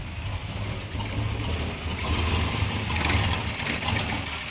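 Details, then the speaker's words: 1991 Chevrolet Suburban V2500 4x4 5.7 L 350 V8 idles low and uneven, missing and sputtering toward stall, after new cap, rotor, ignition module, plug wires and fuel filter; fault later found to be the ignition coil. "I don't know if you can hear that but it kind of sounds like it's missing or it's not getting enough power"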